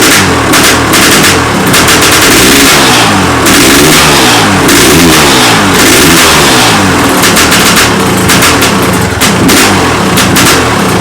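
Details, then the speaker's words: 1994 KTM 550 M/XC big-bore two-stroke with five-speed gearbox, a bit smoky, unknown time since last run. Crisp, repeated rev blips climb and fall cleanly with no knocks or misses; healthy engine, just needs its tick-over setting adjusted. "needs to take a tick over setting really but uh you could hear it sounds fine and uh obviously it's got gears so it will definitely ride"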